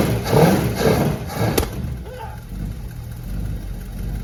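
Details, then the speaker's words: 1963 Dodge Dart convertible with a 360 V8, after freeing a sticky needle and seat: a deep burble that blips and settles to a steady, even idle with no knocks or misses. Rust dust blew out of the fuel pump breather. "Why does it sound so good? Wow, that's all rust dust that blew out of the breather on the fuel pump."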